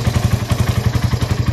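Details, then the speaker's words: Freshly rebuilt Raider 180cc with 30mm flat-slide carb, 68mm steel bore, ported and polished stock head, stock pipe with divider removed, in break-in. Quick even single-cylinder pulses about nine a second, no ticking or knocking; very quiet, like new. "Ayan, wala ng divider sa loob yan. Sobrang tahimik na makina. Parang brand new lang. Parang nirefresh lang."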